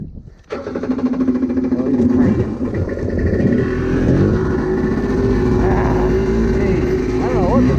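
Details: Rebuilt SuperFreak two-stroke watercraft after more carb tweaking, running worse than the other day: revs ragged, surging and stumbling as throttle changes, won't pull cleanly. Poor running, fuel delivery suspect.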